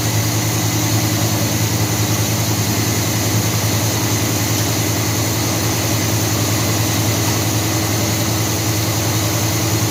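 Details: 1978 Chevy C10 350 V8 after a new Edelbrock intake, water pump, belts, thermostat, hoses and valve covers: an even, smooth low idle, and more responsive. The carburetor is still distrusted.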